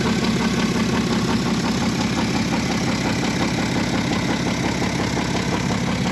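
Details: BMW F07 535d xDrive GT diesel with engine damage: constant metallic clatter about two beats a second over the idle; internal engine rattle, cause unclear.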